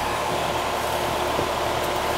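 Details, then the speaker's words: York AC condenser checked after a smoke alarm call: steady even fan whoosh over low hum, no rattles, knocks or squeals; unit seems okay, possibly leaking Schrader cores suspected earlier. "That's a York. I don't know. It seems to be okay. Yeah, she's fine."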